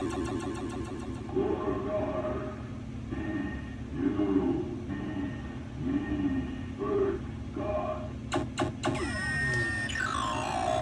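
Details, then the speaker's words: Williams type 2 pinball sound and speech board after rehab (failed C11 replaced restoring speech, 6802, 3.156 headers replaced), onboard test cycle: clear tones, sweeping effects and synthesized speech all clean; fully working. "And as you can hear, all these sounds are back and working 100%."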